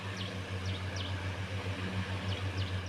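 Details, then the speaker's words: 25W fan on a small solar system, switched to a PSW inverter: a steady low motor hum with no buzz or rattle, birds audible outside. The hum is only slightly different from the MSW inverter, and the fan is running normally. "Untuk suaranya menurut saya tidak jauh beda. Memang ada selisih namun tidak jauh beda untuk suara dari dengungan kipasnya."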